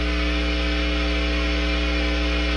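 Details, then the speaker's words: 1990s Fender J.A.M. guitar amp, sold as working, turned on with a loud steady mains hum, harsh buzz and hiss; most hum comes through the reverb, and the chorus adds a whoosh. "he turned it on and it made disgusting noise of course I turned it on and it made disgusting noise it sounded kind of like this"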